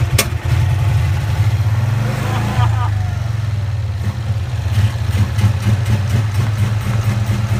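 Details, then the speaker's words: 1965 Cushman Truckster two-cylinder, first start after sitting over a year: deep, uneven chug that stumbles and never settles into a clean idle, running rich and smelling of gas; choke valve stuck on despite pulling the lever, so it won't properly accelerate. "it's got like it's got a stuck choke valve on so it's not the floral that's the problem it's the choke I pulled the lever on this but it doesn't want to properly accelerate"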